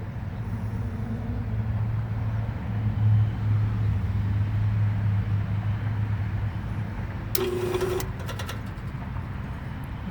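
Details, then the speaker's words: Bryant 561 HVAC compressor that turns half a turn and stops, tried with a hard start kit: steady low hum for several seconds with no run-up, then a click and buzz as it cuts out; compressor judged failed. "the tried it didn't start though great now we need a compressor right again"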